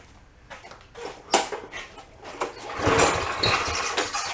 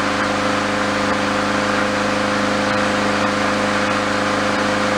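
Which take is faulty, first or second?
first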